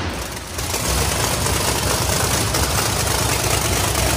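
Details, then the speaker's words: Big drag race engine on jack stands, final fire-up running through gears: roar climbs fast then holds loud, high and unloaded; engine over-revving from a trans brake malfunction, later fixed by rewiring. "we had a little malfunction with the Trinity break and all that you could heard it earlier it was just going up screaming rpm"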